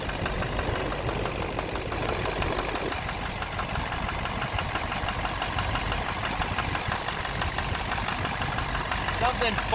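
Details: 2009 Silverado 3500 Duramax LMM diesel dually, 59,900 miles, idling: loose, uneven knock about twice a second under the clatter; owner thinks it is in the bottom end near the oil pan, cause unclear. Oil analysis shows no abnormal wear; intermittent since 57,500 miles.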